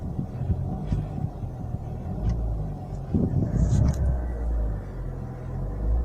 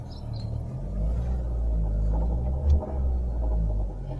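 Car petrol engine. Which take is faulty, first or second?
second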